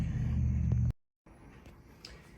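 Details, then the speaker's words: Wash motor from a KitchenAid KUDS30IXSS0 dishwasher with a 6 4 error, bench-tested on a homemade harness: smooth, steady low hum for about a second, no grinding or rattle; motor is fine. "it would appear [Music] that there's nothing wrong with my motor"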